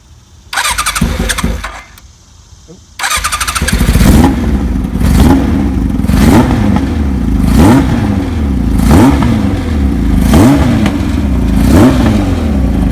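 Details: 1981 Kawasaki KZ1000J CSR engine, new oil, serviced spark advance, new plugs, test carburetors, no air filters: cold start, repeated throttle blips about every 1.5 s, slightly ragged note; possibly running lean without air filters; uneven running.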